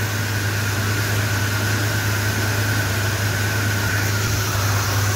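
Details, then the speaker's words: Freshly rebuilt Mopar 440 big-block V8, first start-up after installation, still needing a tune-up: a deep, steady idle with an even rumble and no ticks or misses. Normal, healthy idle. "my first rebuild long road shot can you tell she sounds so sweet that is Lush"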